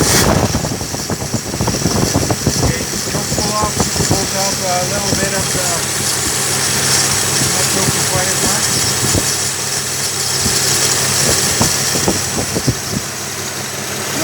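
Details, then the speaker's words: Late-70s Slant Six with new water pump, timing chain and electronic ignition, just installed in 1963 Valiant, first start, idle set by ear: catches after cranking, steady fairly even idle, no obvious knock; normal idle. "I put the wires back on that solenoid the way it's supposed to be disconnected the remote starter and seems to be running pretty good"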